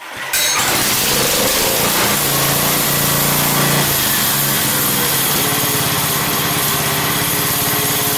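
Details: Pow'r Gard 4000 generator with a Wisconsin Robin EY27W engine and Mikuni carburetor, pull-started with the choke on then switched off, idle speed adjusted down. The engine settles into a fast, even patter, a little high at first, then a smooth idle with occasional puffs.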